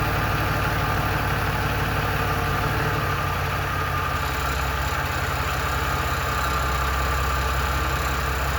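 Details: 1997 Ford F-150 4.2L idling with a faint, loose rattle, occurring only in drive or reverse; cause not identified.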